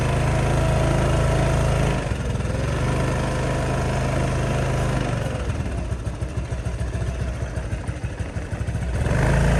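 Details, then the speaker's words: Honda Helix scooter, bought at auction, first ride after getting it running: single-cylinder engine revving and settling smoothly with even firing, no misses or knocks, pulling strong. "So it runs pretty good, actually. Not bad at all. Pulls strong too."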